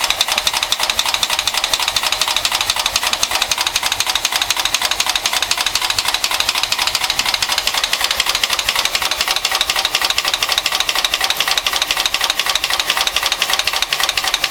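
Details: A 1974 Mercedes 450SE petrol engine idles with a fast, steady ticking knock; the cause is unknown.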